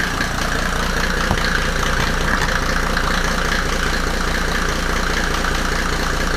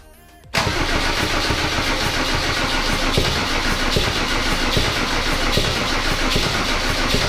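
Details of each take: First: W124 with OM606 turbo diesel just after first start, no intake manifold fitted: steady, even diesel idle with no extra knock or nailing. The owner had feared the timing was off; the engine is settled and running fine. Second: W124 with OM606 turbo diesel on first start after a new battery: the throttle was held partly open, so the engine jumps straight to a loud, fast, even roar. The owner first feared a runaway.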